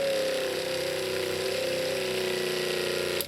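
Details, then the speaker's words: Off-grid tiny house water pump (7 A rated, 10 A fuse) drawing rain water from a tank of about 5 gallons. Steady high buzz with a slightly unsettled tone, then stops. Lines now clear of air, but some air remains in the filter. "I've got no more air in the lines here. That's looking better. Uh, there's still some air in that filter."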